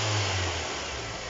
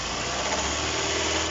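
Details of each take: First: Kia Cerato after its alternator with a collapsed rear bearing, the source of the knocking, was replaced: a short rev falls back smoothly with no knocking, whining or rattling; it sounds clean. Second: Kia Cerato at idle: rough gritty knocking/grinding rumble traced to the alternator, not the engine block; causes found were worn alternator bearing and loosened lower alternator bolt.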